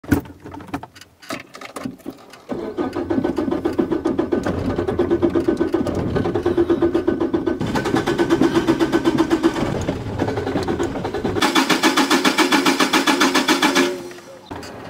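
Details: Old Opel Corsa in hot midday weather: the starter churns in a fast, even rhythm of about four turns a second for seconds at a time, with pedal pumping, and the engine never catches; long cranking, no start.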